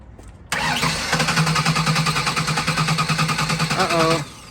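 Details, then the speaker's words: Ford Taurus unused for about three years, first start attempt after refilling fuel: fast even cranking with rough attempts to catch that never settle; fires but won't start, cause unconfirmed. "it wanted to fire try again"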